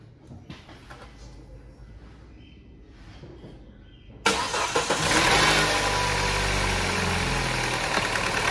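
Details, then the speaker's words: Peugeot 3008 THP first cold start of the day after sitting overnight: harsh metallic chain rattle for about 2–3 seconds before settling, worse when cold; timing chain kit rattle, chain kit to be replaced. "carro o barulho acontece bem rápido então deu para deu no frio né quando o carro tá mais frio acontece com mais frequência né"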